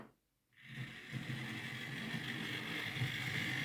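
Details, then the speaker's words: Used Hornby R2959 Thompson L1 2-6-4T model locomotive on test track; gritty, buzzing grindy whir running forward but quiet in reverse, likely a lubrication issue with the dry worm gear. "You can maybe hear it's a little bit um grindy going forward but quiet in reverse. So we'll see if we can solve that. It might just be a lubrication issue."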